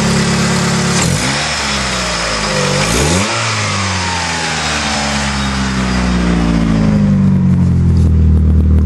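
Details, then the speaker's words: 1996 Mitsubishi Eclipse, belts checked good: a couple of smooth blips up and back down, then an even idle with no chirp or squeal from the belts; nice and quiet, normal running. "belts are good I'll start it up so you can hear that it's quiet now nice and quiet the way it should"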